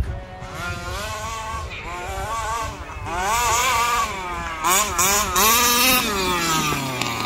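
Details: Rovan Baja 5B RC car, stock Rovan 29cc two-stroke with Rovan Dragonfly pipe, after won't-start troubleshooting and break-in heat cycles: high buzz winds up cleanly through repeated throttle blips, crisp even revs, no bogging; normal running.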